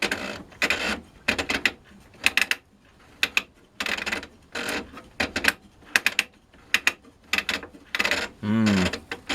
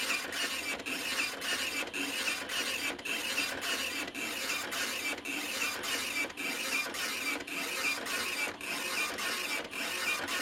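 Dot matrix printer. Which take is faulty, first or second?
first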